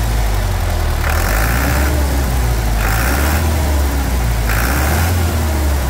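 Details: 1991 Chevrolet D20 with a freshly assembled Maxion S4T Plus diesel, after tank cleaning and service: deep, steady idle with an even low thrum and no knocks or misses; healthy.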